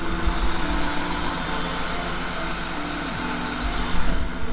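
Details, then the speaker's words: Cheap BMW E36 just restarted after basic maintenance including spark plugs, oil in cylinders burning off as smoke, possibly misfiring before: steady, even idle with smooth low hum, no stumble; running much smoother than before. "It sounds like it's running a lot better right now. Way smoother than it was before."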